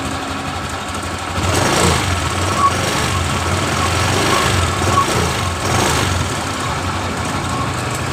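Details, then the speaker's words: Honda Genio scooter at idle with throttle blipped: faint irregular crackle over the putter, heard between the right and left engine sides, after someone put sand in the oil hole and it was ridden a few days. "Coba kita tarik sedikit tuas gas untuk mendengar suara kresek di bagian antara mesin kanan atau mesin kirinya ini"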